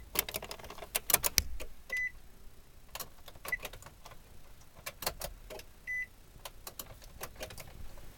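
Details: 2009 Nissan Cube no-start: key turn gives scattered light relay-like clicks and two short chimes with no cranking; owner suspects something is keeping current from reaching the starter solenoid.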